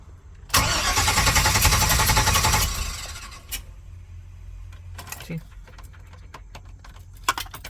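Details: 1999 Chevy Express 3500 van with codes P0339 and P1351 stored; steady starter cranking about two seconds, even rhythm, then silence with no catch; cranks but won't start.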